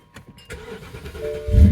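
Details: 2008 BMW 750i that came as a crank-no-start, after a long software download: short crank, catches within about a second and settles into an even idle; starts normally, though a slight tip-in hesitation is noted afterward.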